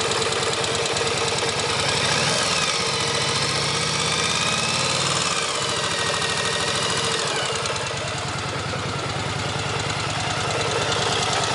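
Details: 1983 Yamaha XV750K Virago V-twin motorcycle idling: loose metallic rattle over the uneven engine thump.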